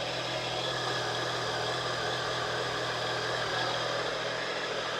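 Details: Triumph Tiger 1050 Sport triple idling on first start after reassembly: steady, even idle with a smooth low pulse, no knocks or rattles, settling quickly; normal idle.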